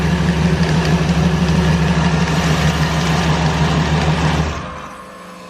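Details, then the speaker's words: ProCharged Ford Falcon with an LSX V8, first start after rewiring, fuel varnished from sitting a year, valve covers off to check oiling: a deep, even burble at about 1,500 rpm fast idle, then a clean cutoff. It is a normal, healthy idle. "it's at for a while it sounds really good though really good"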